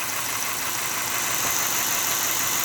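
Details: Frankentrain model train motor after wiring a diode cluster with no relay isolation. The little motor spins up to a thin, steady, high whir with no stutter or grinding. Running normally.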